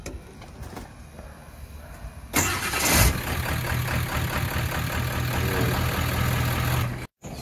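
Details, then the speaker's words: Ford 7.3 PowerStroke after new starter and better reconnected cables (was clicking, poor cable connection); quick strong even cranking catches within about two turns and settles steady, starter healthy. "But it is cranking up a whole lot stronger and a whole lot faster, because when as soon as I hit it, it's like it'll spin two times and it'll crank up."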